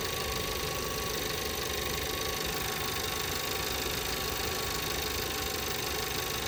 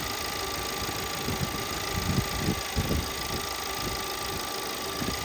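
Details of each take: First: 2017 VW Passat 1.8 that misfired on all cylinders after a few minutes, after replacing the camshaft adjustment (timing) solenoid. Steady, even idle for about three minutes with no stumble, skip or knock and no check engine light; normal idle. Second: 2017 VW Passat 1.8 with random misfire on all cylinders a few minutes after start, despite new NGK spark plugs: uneven idle with irregular thumps and stumbles, traced to the camshaft timing adjustment solenoid, which was replaced.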